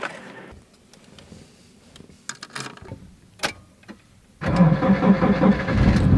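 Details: Battery from a non-starting Fiat 500 tested in another car known to start, after a voltmeter check: a few quiet clicks, then the engine cranks briefly, catches promptly and settles into a steady, even run, a clean, healthy start.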